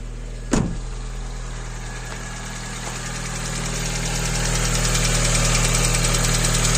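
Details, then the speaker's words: Hyundai Getz cold start right after timing belt replacement: light quick valve ticking over steady idle until warm, present since purchase; upper idler pulley has heavy play and needs replacing. "початку клапани клаци де розігріву але так і було коли я купляв"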